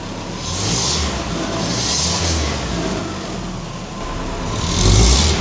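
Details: 1950 Willys M38 Jeep revved briefly just after its first start in over 15 years, following a new wiring harness, fluids and redone fuel system; a fuel leak is present. Revs rise and fall smoothly with clean, even firing and no knocks or misses. Healthy engine.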